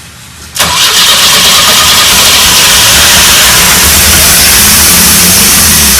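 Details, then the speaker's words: 1984 Pontiac Fiero, first start in 30 years: cranks, then catches abruptly into a loud, ragged fast idle that lasts only while fuel is squirted in by hand. Owner suspects the fuel pump, since no fuel seems to be coming through. "Thing is running. We just got to figure out how to keep it running. And it's probably a fuel pump or something."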